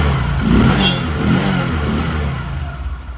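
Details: Discover 100 (BS3) single blipped after timing chain replacement for a chain noise: revs rise and fall smoothly, no chain rattle at idle or on the rev; sounds healthy.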